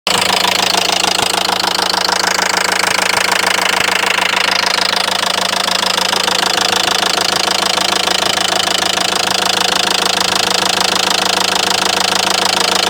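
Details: Renault Megane 3 diesel idling: a sharp, very even ticking knock, about three per second, suddenly appeared over the idle after running a while; internal knock of unknown cause.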